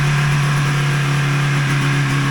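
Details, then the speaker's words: 1980 Ski-Doo Citation SS two-stroke motor (for a hovercraft) after fixing points, coils and carbs, full tank, no air box, idle not yet set: smooth even note at steady pitch, no misses, knocks or rattles; runs healthy. "Seems to run pretty smooth, and"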